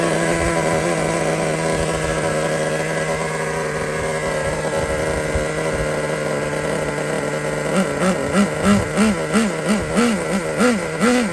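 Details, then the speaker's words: Used Traxxas T-Maxx nitro engine after low-speed needle was backed out about a turn: steady, slightly high idle, then crisp throttle blips that pick up cleanly; runs normally, idle set a bit high. "It runs like a new car."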